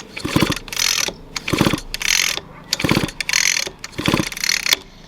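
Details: Echo SRM 210i trimmer after swapping to i30 easy-start recoil starter (old had broken pawl piece), no spark plug fitted: five crisp pulls, each quick ratcheting catch and whir, no slipping or grinding; pawls engage cleanly.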